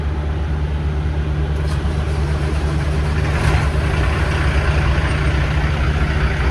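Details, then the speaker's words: Diesel truck after new fuel filter and fuel pressure sensor, primed after running low on fuel (air in fuel or sensor suspected): steady, even idle with deep constant rumble, no misses or knocks; running normally. "right so far we're in business"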